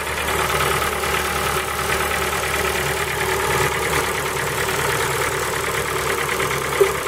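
Cold idle with a fast, light, regular tapping riding over the engine note at a steady rate; a cold-start knock, cause unknown.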